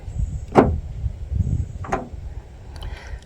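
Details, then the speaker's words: 2020–2022 Kia Telluride/Hyundai Palisade rear liftgate, fully closed and stuck shut, before latch replacement: pressing the button gives two short clicks about a second apart as the lock tries to release, but the gate doesn't open. The liftgate latch actuator is not releasing. "You hear the lock release, but it doesn't release."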